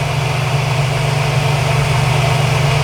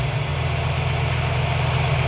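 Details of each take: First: Engine at idle while a candidate vacuum line is pulled during a GlowShift vacuum gauge install: the steady idle hum shifts in pitch and firmness as the line comes off. The RPM change shows it is a usable intake vacuum source. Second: Engine idling before a GlowShift vacuum gauge install, vacuum line not yet pulled: even, low rumbling idle holding a constant speed with no misses, knocks or hiss. This is the normal baseline sound for comparison.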